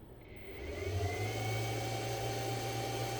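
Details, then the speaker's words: Inverter after repair, powered from battery, 220 V output, under load with cooling fan running: steady even fan whir with low mains-type hum and faint high whine, no rattles or surges; everything works normally. "Все працює."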